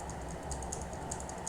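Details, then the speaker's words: Mechanical keyboard key switch after cleaning to fix double-clicking without replacing the switch: crisp single clicks with a clean high tick on each press, no doubled chatter; switch now working smoothly. "Udah enggak double klik lagi. Udah lancar banget ini."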